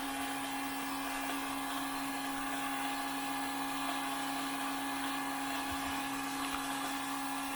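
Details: Fuel pump priming a 2002 6.0L drive-by-cable LS V8 during leak check: steady even electric whine, no surging or rattle; suspected leak was fogging-oil overspray, running normally.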